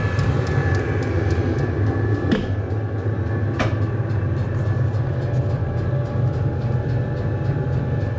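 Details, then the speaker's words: Cheap Chinese diesel heater in a 2006 Nissan Frontier, before sound deadening: glow plug off, fan at full speed blowing hot air, steady loud roar with low hum and faint quick pump tick, about 74 dB; loud fan noise. "all right so the bull plug shut off now fan speeding way up that's like a jet engine taken off it's noisy actually putting up some hot air"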